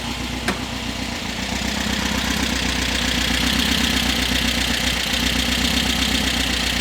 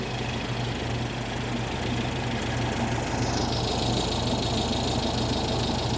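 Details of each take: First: 1973 VW Super Beetle 1760cc with dual 40 carbs, hot start after tuning: light quick ticking at about four per second over a steady idle; valves checked warm, to be adjusted. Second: 1973 VW Super Beetle 1760cc flat-four with dual 40s, valves not yet adjusted (No. 3 exhaust very loose), engine still warm, no throttle connected; steady idle with light valvetrain clatter, no more clanging or banging; normal idle.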